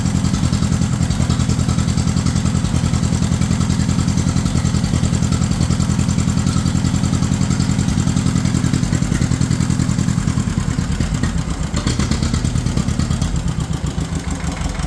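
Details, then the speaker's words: 1953 John Deere 40 tractor started on choke in neutral: uneven loping chuff about two to three beats a second that wavers and sags, running rough; owner blames a carburetor that needs rebuilding, not confirmed. Tested during hydraulic pump rebuild. "it's kind of running like crap though cuz like I said the carb does need gone through"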